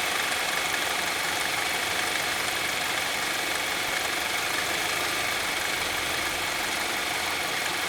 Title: Strange engine Sound Saab 9-3 SS